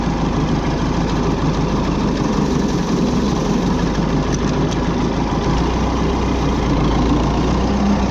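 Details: Oliver diesel tractor (66, series 2 hydroelectric), unused since 2023: a steady, even diesel clatter at constant idle with no misses or surges; normal idle.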